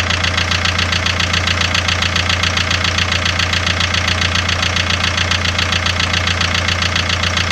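Steady idle with a sharp, even knock about two to three times a second over the engine note; an engine knock of unknown origin.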